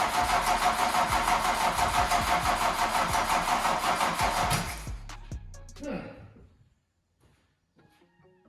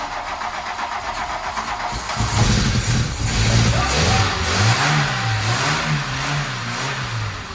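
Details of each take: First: Mk2 VW Golf barn find, first start attempt after adding fuel: starter turns engine in slow labouring pulses about three a second, fading and stopping after five seconds; battery going flat, jump start planned. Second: Barn-find Mk2 VW Golf after long storage, cranked to fill fuel filter with fuel reaching lift pump: starter churns about two seconds, catches, splutters with wavering revs, then runs sweetly; normal first start.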